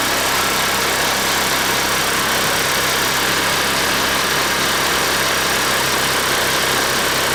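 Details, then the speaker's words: 150cc scooter idling fast and erratically with a hissy, high-revving drone, no throttle, rear wheel spinning; idle screw turned way up to stop stalling; symptoms of an intake vacuum leak. "every time I just the idle all of a sudden it goes up like crazy so it has the symptoms of a vacuum leak"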